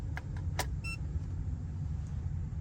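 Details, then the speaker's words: Ecoflow Delta portable power station clicks, then gives one short clear electronic startup chirp as it powers on when the roof solar-panel switch is turned on in a camper van (400 W solar, cloudy day, little solar input); normal startup beep. "Do you hear that? And it's on."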